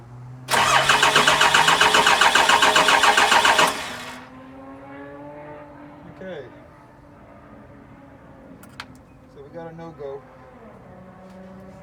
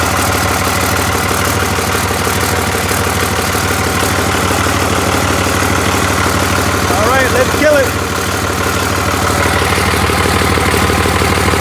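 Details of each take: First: Cummins diesel with VP44 pump, 199k miles: fuel pump powered, the starter churns evenly about four turns a second for three seconds with no firing or injector puffing; no-start, fixed by rewiring crank and cam sensor wiring. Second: Cummins diesel with VP44 pump, 199k miles, 2000 engine harness rewired to a 99 engine computer after a no-start, running with a temporary intake: loud, steady idle clatter firing evenly with no misses or stumbles; normal idle.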